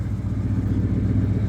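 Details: 1977 Ford F-150 idling, headlights and blower on, regulating well: smooth, steady low idle, no hunting or misses; normal.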